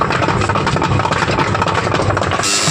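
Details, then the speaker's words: Samsung top-load washing machine, lid removed: loud, fast clattering rattle over motor hum from broken pulsator pieces knocking inside the tub, with heavy dirt buildup under the pulsator cap. "यह देखिए दोस्तों आप लोगों ने सुना कितनी खतरनाक खड़खड़ की आवाज आ रही है चलिए आवाज आखिर है ये किस चीज की आप लोगों को हम इस वीडियो के अंदर बताते हैं"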